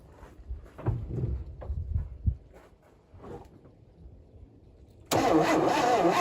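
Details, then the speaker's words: 1971 Chevy Nova revival after long sitting, fuel poured down carburetor: starter cranks steadily but engine never pops; crank no start with no spark, points suspected before pulling distributor cap. "Okay, so we have no spark. So, I'm going to pull the cap off."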